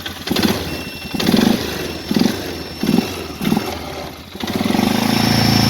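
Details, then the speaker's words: Polaris Sportsman 500 HO ATV with a crank-no-start fault (cracked part with a chunk missing). After the ignition connector was crimped, it catches after a few quick blips and settles into a steady, even idle with no misses. It sounds healthy and charges the battery. "Hey, look at that. Fired right up there. Imagine that when you get a proper ignition system."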